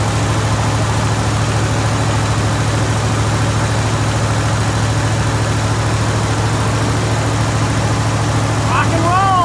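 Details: Jeep Grand Wagoneer V8 idling just after fitting a new 94-amp alternator, with a dirty air filter still in. Deep, steady low rumble with even firing and no knocks, ticks or misses; idling smoothly and healthy.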